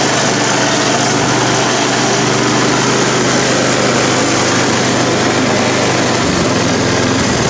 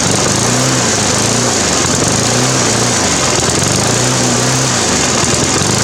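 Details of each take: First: Briggs & Stratton 350 Classic mower with a replacement fuel tank and carburetor from another engine, replacing the cracked tank: steady even drone at one speed, no surging or hunting, then winding down at shutoff; running smoothly. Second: Briggs & Stratton 350 Classic lawn mower engine revs rising and falling about every 1.5 seconds, steady hunting even after fitting missing governor springs and a new carb diaphragm and gasket; cause is a big crack in the fuel tank where the carburetor joins.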